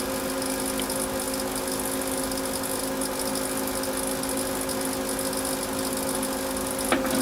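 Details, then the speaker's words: Apple Macintosh Classic powered on before restoration, audio enhanced: steady whir with fixed high-pitched tones, constant and unchanging; abnormal whirring noise, cause not yet known. "What I'm going to do is I'm going to enhance the audio so you can hear that worring noise."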